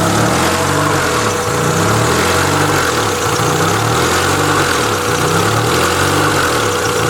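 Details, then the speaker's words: EF sedan after MPFI swap and new idle air control valve, idling with the O2 sensor unplugged and check engine lights on: loud raspy chuff and hiss with slow wavering surge from a massive exhaust leak. "despite the massive exhaust leak uh it having multiple check engine lights the O2 sensor not hooked up"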